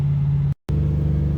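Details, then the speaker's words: 1996 Nissan 240SX S14 Kouki drift car with LS1 V8 swap and T56 six-speed, revived after sitting abandoned; driving with MAF sensor unplugged, deep even V8 rumble pulling hard under load with a brief dropout, runs strong and clean. "I unplugged the MAF. Mass airflow sensor's unplugged and the thing is ripping right now."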